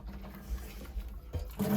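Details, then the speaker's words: New Yorker boiler with no heat: its Grundfos 3-speed circulator makes a rough, uneven whir, low hum and gurgly rattle; the circulator is shot and the loop is airlocked with no pressure. "There we go, airlock. Airlocked."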